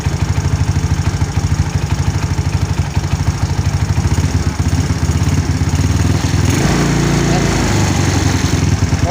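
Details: Mio scooter from a hard-starting repair, small engine ticking over at a steady, even beat that lifts slightly near the end; it starts and runs cleanly: normal idle.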